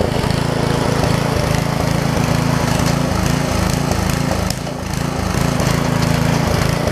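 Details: Craftsman 17-inch rear-tine tiller with 5hp horizontal Briggs engine, probably 1990s, running after a new carb diaphragm; chugs at a steady beat with slight roughness. It runs and tills normally; a tiny fuel leak remains at the diaphragm.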